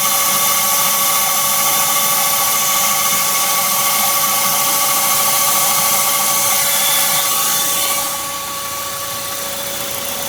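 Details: BMW Z3 1.9 running, occurs cold or warm, after AC and fan belt tensioner replaced: steady high-pitched squeal over the engine, fading after a few seconds, source unidentified; engine squeal.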